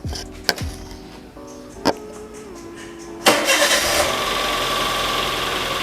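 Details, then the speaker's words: Daihatsu Terios at morning cold start: several sharp clunks while cranking, then loud, harsh, rattly idle; knocking, mechanic to determine whether internal engine or external such as pulleys or alternator. "kalau saya dengar dari ketukannya suaranya itu suara ketukan Mas Jojo jadi ketukan nanti kita bedain antara bunyi internal mesin atau external mesin"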